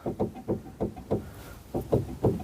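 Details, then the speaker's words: Skoda Estelle 120 front end, raised wheel rocked by hand: hollow knocks about three per second from loose play, likely an adjustable wheel bearing or kingpin. "You can probably hear it more than see it, but there's a bit of playing something there. And there too. That'll probably be a wheel bearing or a kingpin, but they're adjustable."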